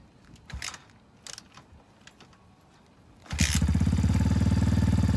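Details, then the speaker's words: X-Pro Titan 250cc dirt bike, cold start after sitting all winter from November to March: handling noise, then it catches straight away into a quick, steady single-cylinder putter, choke then cut to warm up; normal cold-start idle. "so it needs to warm up that's what the choke i just cut the choke off i'm letting it warm up some"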